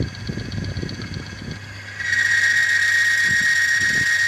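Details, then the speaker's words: Demonstration machine (automatic transmission oil friction tester) run with no oil or gearbox fluid under a 1-pound load: harsh high squeal and gritty scraping over motor hum, dry metal-on-metal friction causing wear (erosion). "Geseran tanpa sebarang minyak akan menyebabkan bunyi yang bising."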